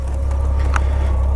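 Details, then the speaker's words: 1997 Honda Gold Wing GL1500SE, still somewhat warm from earlier running, idling: smooth, deep, quiet even hum, no knocks or ticks; healthy flat engine, unlike a V-twin sound. "yeah it's a quiet bike the Gold Wing if you're used to uh that V-Twin sound this is this is a different sound"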